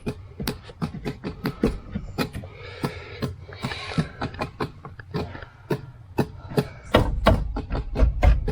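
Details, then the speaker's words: Jeep on a key-on test after an engine and transmission swap, fan on low with heater selected and the blower not turning on; sharp clicks once or twice a second from behind the dash; vacuum module suspected; clicking in dashboard HVAC. "What am I hearing? What is going on? It sounds like it's in like a vacuum module or something."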